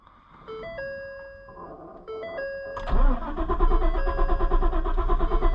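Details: Ford Super Duty truck after replacing the fuel pump control module and a relay: a few warning chimes, then the starter cranks in an even rhythm without catching; no fuel pump heard, owner suspects the fuel pump needs replacing.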